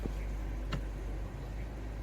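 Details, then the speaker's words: 2017 Mazda 3, 6-speed SkyActiv-Drive automatic (FW6A-EL), warm idle after transmission fluid and filter service; faint selector click as it engages smoothly. It clunked on the first drive-to-neutral shift but no longer clunks, including into reverse. "Yeah, it's not doing that clunk anymore. It just did it the first time, right? >> Didn't do it that time when I went into reverse, either."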